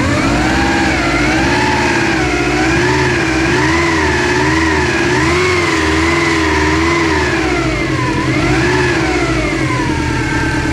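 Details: Subaru Impreza GT: steady engine with a clear whine rising and falling with revs from the front of the engine; owner doubts alternator or power steering pump and suspects the timing belt or a pulley, unconfirmed.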